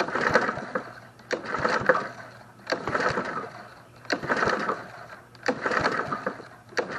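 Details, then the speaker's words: Snapper SP-110 22-inch RWD mower that won't start, pull-started during a compression test: slow, soft, airy strokes with little resistance, barely reaching 50 on the gauge. Low compression, possibly the compression release also interfering. "we're barely making 50. I'll try it again but that doesn't sound good"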